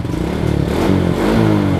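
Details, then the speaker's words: Suzuki 115cc motorbike, registered November 2013, original engine, 6-month engine warranty: revs up and settles smooth and even with only light valve chatter; very quiet, normal running. "Máy im ru anh chị. Máy Suzuki với nó là im kinh khủng."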